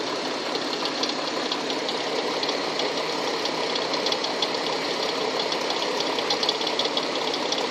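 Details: Tucson engine idling with a sharp, light knock running steadily throughout; cause unknown.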